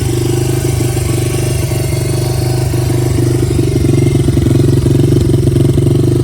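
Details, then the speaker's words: Honda XR80 dirt bike unstarted for 10 years, after carburetor cleaning and adjustment, oil change and cleaned filter: deep, even single-cylinder thump holding a steady beat and picking up cleanly; running properly, no misfire. "but then we adjusted the carburetor and then started fine after that nice dirt bike"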